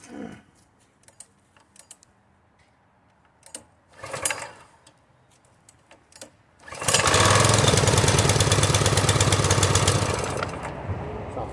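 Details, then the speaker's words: Husqvarna PW3200 pressure washer, Briggs & Stratton engine, after replacing its failed CR950 carburetor, run only briefly with the choke set: a few clicks, then a steady, even, rapid beat. Normal running. "that's it it starts like I said I'm just going to run it a few seconds cuz I don't want to burn this pump up"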